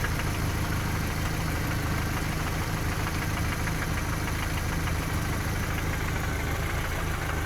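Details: Toyota 3S engine in a VAZ 2121 at idle, after valve clearances, cam gear and cam journals were checked: dull, irregular knocking about three per second near cylinders 3–4 around or below the camshafts; source unknown. Engine knock.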